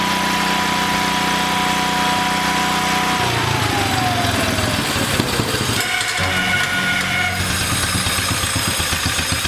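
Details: 1962 Cushman Trailster repowered with a new engine, started with a homemade jumper pack: small single runs steadily, pitch easing down as it settles, even firing, no knocks or rattles; healthy.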